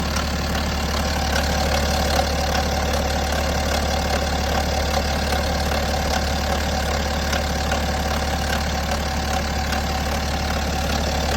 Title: BMW N57 Timing Chain Noise? #bmw #n57 #timingchain #automobile